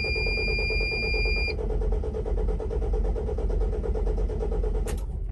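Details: 2002 Sprinter van that a mechanic gave up on, water found in the fuel filter, restart attempt after shutdown: even starter cranking for about five seconds, engine never catches; cranks but won't start.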